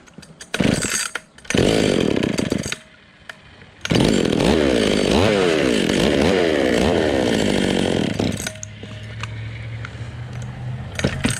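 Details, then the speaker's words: Vintage Stihl 020 top-handle chainsaw, cold, after a new plug wire: revs high and wavers, then drops toward idle and cuts out abruptly; owner suspects an ignition problem, maybe a bad coil, not fuel. "t, and like if you keep it revved up it'll run, but once you let the idle get down to a certain point it just shuts off. Like, it sounds like an ignition problem, which is really weird."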